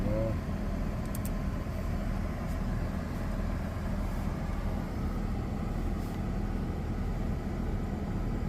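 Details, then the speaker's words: Ford FG2 Falcon idling after a P2110 throttle body code, following tightened inner intake manifold bolts and possible throttle blade cleaning, with aircon and radio on: low, even idle holding steady around 14–15% throttle, no dips or hunting. "Listen to it now, and she's idle on and put some load on and see what happens. Put aircon on."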